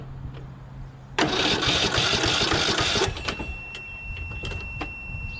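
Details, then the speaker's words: Briggs 12.5HP SOHV engine on a Poulan XT PXT12538 lawn tractor, brake safety switch engaged: about two seconds of steady, even cranking without catching, showing ignition switch, solenoid and starter work; normal starter cranking. "so let's see if it cranks if this thing turns i'll know the ignition switch works the solenoid and the"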